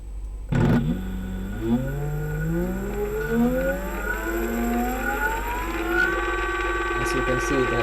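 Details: E-bike hub motor with clutch: motor whirs up in smooth rising tones that level off, with no grinding or clicking; this motor and clutch run fine.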